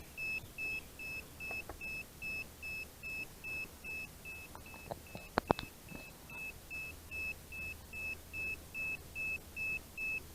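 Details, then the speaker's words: DJI Phantom 4 Advanced remote controller (GL300C): steady high-pitched beeps about two a second from a calibration error, because a sticking control stick does not return to centre. "never know when the remotes gonna be beeping giving you that error basically it's calibration error that constant loud beeping"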